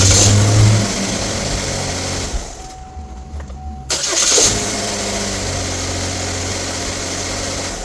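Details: 2013 GMC Terrain 2.4L after replacing the starter: engine running, brief quiet pause, then clean crank and quick catch settling to a steady even idle; starter engaging properly; normal start and idle.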